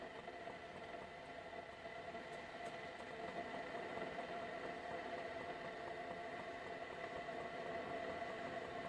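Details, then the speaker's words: Keurig coffee maker, reported as not shutting off water, running a medium cup: faint steady hum with soft hiss as the heater warms water, and a heater smell is noticed. Normal heating. "I hear the heater in fact I smell the eater"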